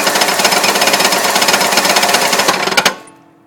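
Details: Engine idling after being driven about 2 miles with very low oil, main and rod bearings since replaced: loud, rapid metallic clatter until shutdown; owner suspects cam bearings, not confirmed.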